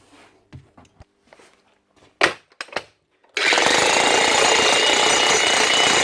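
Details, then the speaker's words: Logan Tools (Titan-type) electric breaker after repair, relubricated with liquid grease following dropout from dry inside and worn O-rings: fast, even hammering at a steady rate with no stumbles; normal hammering. "Right, that's that sorted for another while. Man might get a wee more life out of it."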